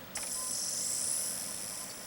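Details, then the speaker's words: Console optical disc drive reading a DVD: a steady, smooth high whir with no grinding or scraping, so the drive is operating normally. "You hear it sounding normal, no horrible grinding. And the disc is running just fine."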